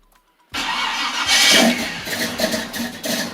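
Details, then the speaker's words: Small-block Chevy with HEI distributor, cold R43 plugs, on a 1.5 A trickle charger: starter cranks low and slow without firing; timing being adjusted. "oh it's real low oh let's show you how to remedy that oh it sounded real low real low and real slow"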